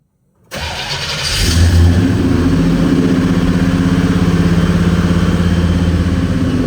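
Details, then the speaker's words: 1968 Chevelle wagon after reseating a loose spark plug boot, gas pedal held steady: engine starts but the beat keeps stumbling and surging, still a miss. "Still something of a miss. You see that? I'm holding the gas pedal steady."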